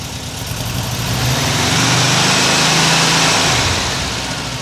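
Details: 1979 US fuel-injected air-cooled VW Super Beetle convertible with a new Vintage Speed stainless exhaust, microphone on the camera, downpipe insulation smoking as it burns in: the flat-four burble swells into a steady rev and settles back cleanly with no knocks.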